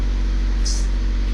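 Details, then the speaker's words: 2002 Hyundai Elantra, after power steering pump replacement (old pump had bearing shimmy and was loud), front wheels off ground, steering wheel turned left and right to cycle fluid: steady engine hum, no pump whine or groan; normal power steering pump. "what i'm doing is going left and right with the wheel just pumping the fluid through now we'll recheck it so there she sounds nice and quiet now"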